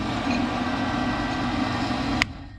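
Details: Pit Boss 520 wood pellet grill, over 5 years old, kept outdoors under cover: fan hum for about two seconds after switch-on, then a sharp snap and sound dies as the GFCI trips; later traced to a shorted igniter.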